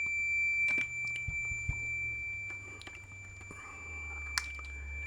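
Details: Fluke multimeter continuity beep-test, automotive fuse testing, test leads seeing 3 ohms: a steady high beep holds at 10 ohms (display reads 14).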